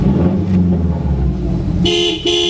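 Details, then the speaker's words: Subaru Legacy, engine running: two short, raspy horn blasts, clear and full each time. Horn works normally. "horn Works cool tilt steering oh yeah"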